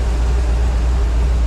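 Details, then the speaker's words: Car sat about 3 weeks, started easily after two pedal pumps and has idled about 15 minutes; the electric fan has come on. Deep, steady rumble with no knocks, misses or surging; healthy settled idle. "So anyway, I got in it, hit the gas pedal twice, and it started right up and idled. So that's pretty awesome."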